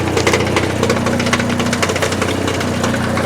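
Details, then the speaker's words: 1984 Porsche 944 running again after about 4 years, idling roughly and dying when the gas is pushed, with a loud metallic rattle up front around the timing chain area after recent work there; something loose, exact cause unknown. "That horrible racket you hear is coming from underneath what I just did. You can kind of feel it right up in the timing chain area. So something's loose."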